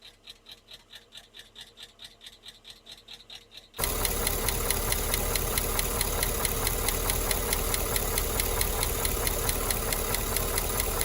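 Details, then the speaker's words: Holden Calais with an L98 LS V8 idles with the rocker cover off. A sharp, even tick about twice a second, a loud clack up close, seems loudest at the third rocker back; a stethoscope on the rocker bolt is used to check. Cause not confirmed. "And definitely after a period of time, this third rocker back is making a lot more sound than everything else."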